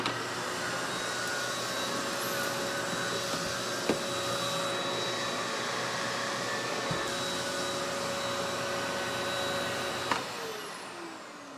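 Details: Wessel Werk EBK380/EBK280 power nozzle on a Bosch vacuum, after repair and wiped down: smooth, constant motor whir with steady brush-roll hum, no rattles or grinding; normal running.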